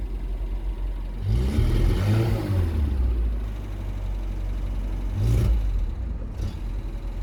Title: talbot express petrol misfire when cold